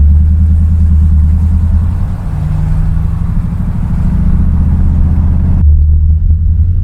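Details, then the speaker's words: Bel Air with a disc rotor and caliper setup after a squealing-brake fix (pads not retracting), in slow town driving; first normal brake applications are quiet, with only low engine and road rumble and no squeal. "all right we're about to hit the brakes for the first time here in a normal driving situation they seem pretty quiet"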